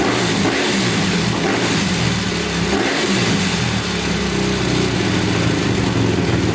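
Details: 2010 Honda CRF250R after valve shimming and a no-start fix, using primer kicks: single-cylinder settles into a steady, even idle with crisp exhaust pops, no knocks or rattles; normal idle.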